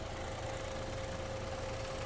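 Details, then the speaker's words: Chevrolet Onix Plus with about 5,700 km, checked at idle for a rumoured engine noise: a steady, even hum with a faint constant mid tone, no knock or rattle, and no clutch noise either. Normal idle. "Ah pois aqui no meu do mesmo jeito que chegou 10 tá do mesmo jeito sem nenhum barulho tem nada diferente nada"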